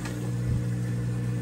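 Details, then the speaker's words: Whirlpool washer draining wash water before rinse; steady even low hum with no rattles, grinding or surging, drain pump running fast, smoothly and quietly, normal drain pump operation. "But as you can hear, the drain's working nice and fast, nice and quiet."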